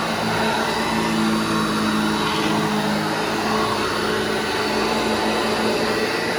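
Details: Restored vintage Hoover Junior 1334 upright vacuum, demonstrated after full restoration and reassembly: steady high whirring motor hum, no grinding, rattling or speed wobble; runs smoothly and healthy.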